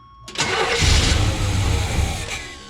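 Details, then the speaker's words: Suburban that sat for five years: steady starter cranking with no firing. Suction felt at the fuel line shows the pump works but no fuel reaches the carburetor; a plugged tank sock or varnish is suspected. Cranks but won't start. "The pump's working. Is it? I can feel the suction on the end of the line. So, crank it over a little bit more. Yeah. So the pump's working. It's just, it may not be getting fuel."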